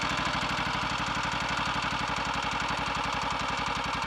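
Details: Redditch Royal Enfield 350 Bullet single, first start after a full engine rebuild for a worn big end: a quick regular idle, about four beats per second, with a light tap on each firing. The timing was later found slightly over-advanced, and resetting it quietened the tap.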